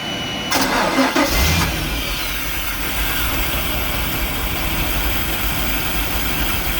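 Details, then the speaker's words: Volvo Penta 5.7 V8 in a Chaparral boat, stored for years with stale varnished petrol: quick crank, catches and runs an uneven, lumpy idle only while brake clean is sprayed into the idle air control, dies when stopped; fuel starvation, fuel control unit/water separator needs rebuilding. "See, it'll run if I'm giving it brake clean. As soon as I stop, she dies. So our problem is going to be in the fuel control unit water separator."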